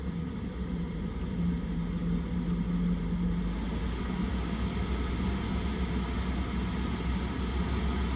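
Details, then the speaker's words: Chinese diesel heater in a van, running at temperature on a not very cold day: soft, even low rumble and hum, no knocks or surging. Normal operation. "It's kind of like this lulling choo, choo, choo, choo. It's not irritating."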